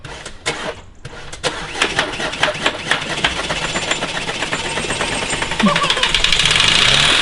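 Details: Mitsubishi Carisma diesel overfilled with several litres too much engine oil: engine fires and climbs on its own into a hard screaming rev with no throttle; diesel engine runaway on its oil.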